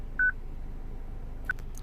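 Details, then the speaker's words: 2006 Citroen C3 petrol with a used replacement radio: a clear high beep, then a shorter one, with light button clicks just before configuration is pressed. It is the anti-theft alarm flagging the wrong VIN, which stops after reconfiguring. "And now we press configuration, and I think my beep should go away straight away, as you can probably still hear the beep."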